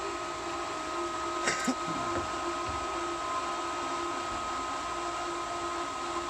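Constant motor hum with a steady tone at full speed and no clear change in load; the pump is running while it primes.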